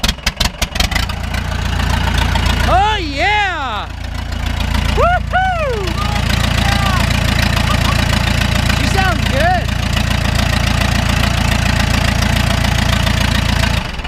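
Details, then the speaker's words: 2000 Ford F150 with swapped 4BT diesel and M5R2 five-speed, cold start: fires right up to a steady, even, tight idle with no knocking and a little white smoke; violent transmission shake suggests transmission mount needs attention. "she sounds good a little bit of white smoke but I was cold but it's cold God she sounds good she sounds tight"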